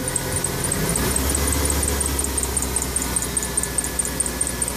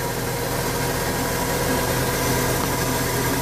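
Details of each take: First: 1996 Ford F-150 4.9 300 inline six running: fast high-pitched ticking chirp over engine drone, louder as revs rise; alternator and other accessories ruled out, worn harmonic balancer rubber. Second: 1996 Ford F-150 with 4.9 300 straight six, after the harmonic balancer blamed for a belt-like squeak was tightened down: even, steady idle rumble under a hissy background with no squeak or chirp from the belt; idling normally.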